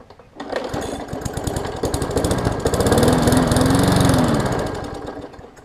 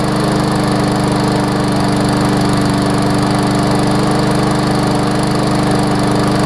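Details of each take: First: Briggs & Stratton Classic 500-series push mower engine built August 2007, on fresh gas: it picks up, swells, then sags with an uneven beat and won't hold speed; water in the fuel suspected, unconfirmed. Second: Briggs & Stratton Classic push mower engine running after repair with Seafoam added, spark plug reseated; steady even single-cylinder drone with no labouring, surging or knocking, no longer struggling as it did with tar-like oil; normal running.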